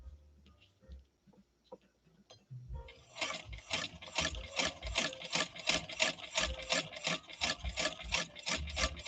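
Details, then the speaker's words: India-made replica sewing machine, needle bar flaw fixed after needle bent on six layers of denim, sewing two layers of high-vinyl bubble gum material: even stitching at about three strokes a second, no snags or knocking; sewing properly. "and no problem at all going through those two layers of bubble gum material again bubble gum materials a high vinyl concentration kind of like some of the other stuff that we've sewn like that that naugahyde"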